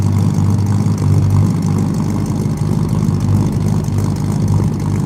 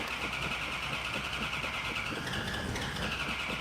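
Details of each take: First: V8 with three carburetors and an Air Grabber, restarted after running out of fuel and refilling dry carburetors: deep, lumpy but even idle, about three pulses a second, no stumbles; back in business, normal idle. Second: Car with an Air Grabber: starter grinds on at a steady fast beat with no catch or firing while cranking to bring fuel up to the dry carburetors; extended cranking.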